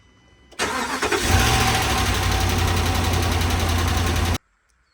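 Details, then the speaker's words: 2013 RAM 1500 5.7 HEMI V8 after a previous owner's cam and lifter replacement: starts and fast-idles with light rapid valvetrain ticking, later traced to improperly installed pushrods and rocker arm shafts that damaged the pushrods and rocker assemblies. "Alright guys, I just picked up this ram. It has a ticking and we're gonna figure out what's wrong with it."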